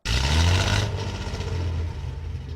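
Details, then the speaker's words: 1970 Datsun 240Z: rough, uneven idle with a beat that keeps dropping out and lumpy loudness after the first roar; clearly a misfire, cause not yet found, spark plug wires to be checked first. "yeah that's 100% a misfire so we're going to go back up to the engine bay and start diagnosing"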